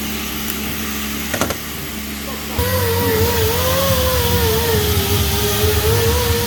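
A loud, wavering whistle-like whine rises over a diesel's rumble, the sound of a failing turbocharger.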